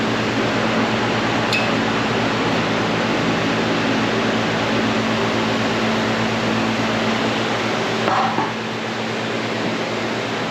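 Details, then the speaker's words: Repaired Modine gas shop unit heater, thermostat at 90, blowing warm air: steady even blower rush with smooth burner hum, no rattles or surging; normal running. "Nice and toasty up there. So, I think we're good. I'm gonna let this run and cycle a tiny bit more again."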